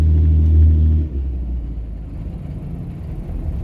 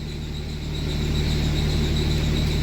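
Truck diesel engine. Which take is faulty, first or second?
first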